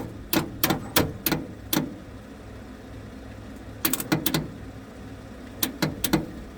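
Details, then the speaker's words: 1969 Ford F100, long sat unused: sluggish clicking cranking in short bursts, about three strokes a second, never firing after battery cables and grounds were replaced; battery weakening, ignition module suspected, not confirmed. "Uh, we are still not getting fire, and this battery is getting kind of weak now. We're not getting fire. Most likely it's this module down here."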